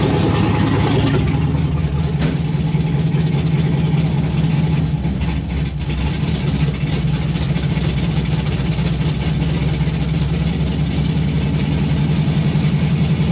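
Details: 1992 Firebird with LS swap and Holley Terminator X, first start outdoors: loping V8 idle with irregular chop in exhaust pulses at steady speed; thermostat stuck, cause unknown.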